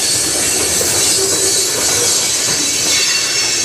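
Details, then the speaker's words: Passing CN train car with a constant high-pitched squeal and hiss over rolling wheels, like brakes still applied and dragging; the observer suspects the brakes were not released, unconfirmed. "what that sounds like very squeaky squealy wow did they not turn off any breakes"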